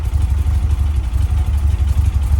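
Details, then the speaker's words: 1967 VW Splitscreen flat-four idling after service with new spark plugs, HT leads and distributor cap; earlier slight backfire gone. Steady, even low thrum with regular beat, no pops or misses; normal idle. "That's a hell of a lot better. Before I was getting a little bit of a backfire."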